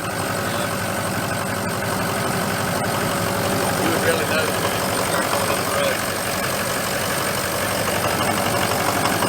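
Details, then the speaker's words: 2004 Ford F350 6.0 diesel, EGR delete, morning cold start at about 50°F before oil change: steady idle with faint uneven knock over the clatter. "You hear it knocking a little bit now. I imagine if it was 20° out here, rock and roll it."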